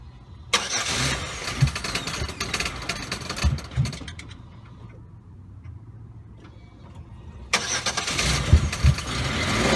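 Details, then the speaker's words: 2005 Pontiac G6 after replacing the fuel pump because a broken pump line leaked gas when running: engine cranks, catches and settles into a steady run with no stumbling; new pump working strongly, no leak. "all right guys i guess i did wire it right it's working working like a charm pumps kicking in nice and strong"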